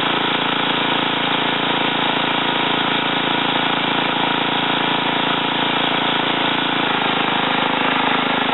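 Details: Ariens TA20A Trans-a-matic rototiller after engine rebuild and plate-clutch repair, carburetor untouched, tilling in a wooded area: single-cylinder buzzing at constant speed under load, firing steady without misses or surging; normal running.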